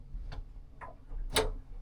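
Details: Yanmar 4JH57 with SD60 saildrive on a Leopard 48 catamaran, during a neutral–forward–neutral shift test after cable travel checks: a few sharp, clean clicks with no grinding or clunk; the drive engages normally.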